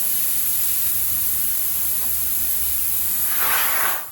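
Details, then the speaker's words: Fully inflated car tyre with a screw puncture, after the reamer was used on the old plug: a steady sharp hiss of air still escaping from the hole, so a new plug is needed. "At first I thought that had sealed it. However, you can still hear it popping, so best to insert a new one."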